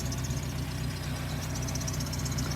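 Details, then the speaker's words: NB Miata engine with a worn harmonic balancer whose rubber is sticking out but still working: even, steady low idle with a smooth regular pulse and no knocks or wobble; runs great; normal idle. "So, there's the balancer and you can see the rubber sticking out the front of it, but it's working and it runs great. I haven't had any trouble with it"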